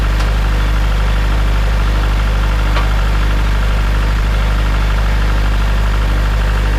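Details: Farmall Super M tractor before engine rebuild: deep, steady idle with a dull knock repeating about four times a second; source not yet known.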